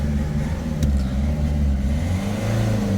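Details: Peugeot 3008 1.6 HDi diesel, engine light on, misfiring under acceleration, sometimes limited to 50 km/h, codes P0339 crankshaft sensor signal and P1113 rail pressure below minimum: uneven stumbling drone that hesitates when revving; crankshaft position sensor fault causing misfire.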